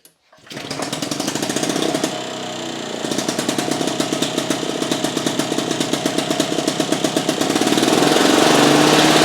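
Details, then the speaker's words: Victa Pro 550 Mulcher two-stroke mower after fitting the white cap on the diaphragm, fixing the vacuum leak that made it run away: crisp even bark climbs smoothly to full revs without hunting or surging, takes off like a rocket; normal running. "So I've popped this white cap on and that solved the issue. So I'll just start it up now, folks, and I'll show you how it's running."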